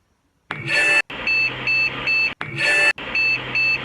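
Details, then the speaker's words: Phoenix BIOS beep code, one long beep then three shorter high beeps repeating twice; indicates the keyboard controller test has failed. "bit code button it's 742 keyboard controller test has failed"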